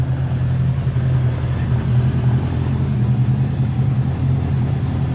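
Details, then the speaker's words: 1979 Honda GL1000 Gold Wing flat-four after valve seal replacement for excessive smoking; low, even idle at constant pitch with no misses or stumbles; no smoke; smoking problem solved; normal idle. "I'm just letting you watch the thing run and make sure that she's not going to smoke any"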